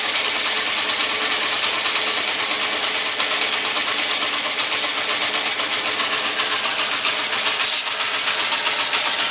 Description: I have edited the audio , no gain increase,only removed the bass part, so tell me if the tappet noise is too loud,btw it's a cold engine ,